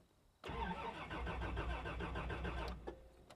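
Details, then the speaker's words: 1989 Toyota Land Cruiser barn find, sat about 8 years, fuel gauge near empty, first crank attempt: starter spins engine at steady churning rhythm for about two seconds with no firing; cranks but won't start. "That's a good sign. It is cranking."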